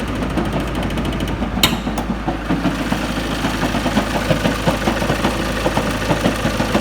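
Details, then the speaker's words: Ford Focus Mk2 at idle: a constant rapid clatter over a heavy low thrum with strong engine vibration. A badly worn, egg-shaped flywheel throwing the engine out of balance is suspected. "Look at that flipping engine vibrating. That is one seriously worn out flywheel. Clattering, it must be egg shaped."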